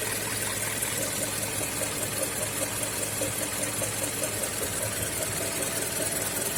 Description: Мотор PY, 2,5 литра, mazda cx-5, звук появляется через секунд тридцать, после прекращения движения на хорошо прогретом двигателе.